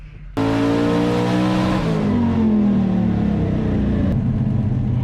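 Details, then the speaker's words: Hard dyno pull on a twin-turbo small-block Ford Foxbody Mustang on Holley EFI, tuned for Drag Week; a rough, uneven edge as revs climb shows a slight misfire under load, and tightening the gap on the new plugs is planned. "Sounds like it's misfiring a little bit. That's a bummer."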